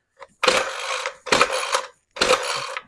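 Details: Ryobi Expand-It full-crank two-stroke trimmer, which had gasoline shooting from the muffler, full choke after 10 primer presses: three rope pulls, each a short rasping whirr fading out, never fires; cranks but won't start.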